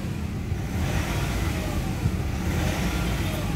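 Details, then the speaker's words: Nissan Calibre after treatment for throttle delay and low power: engine revs with a steady, full low rumble, no hollow breathy note, responsive around 1,000–2,000 rpm; smooth with power restored. "Pero iba na yung tunog niya, oh. Pulido na. No? Kanina singaw eh. May power na."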